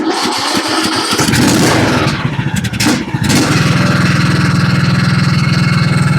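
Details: John Deere LA105 riding mower with 74 hours that previously ran only on choke, after carburetor repair or replacement. It cranks a few seconds, catches with a stumble, then settles into a steady, even putt-putt, with the idle slightly low: normal running.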